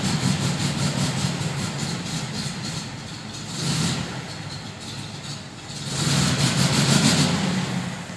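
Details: 1972 VW Fastback with a fuel-injection issue, cold, black smoke; uneven lumpy firing that surges, sags and stumbles, never settling to a steady idle, barely stays running; rough cold idle and stalling, cause not confirmed.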